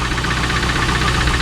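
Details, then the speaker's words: 2001 Trans Am LS1 V8 idling the next day after 300 miles of knocking and treatment with Marvel Mystery Oil and Seafoam. A light, regular tick-knock rides on a steady idle, still unfixed, with Lucas about to be tried. Engine knock at idle, cause unconfirmed. "Alright guys, it is the next day, race day, and it didn't magically fix itself, unfortunately. Still got some ticking, knocking, whatever you want to call it,"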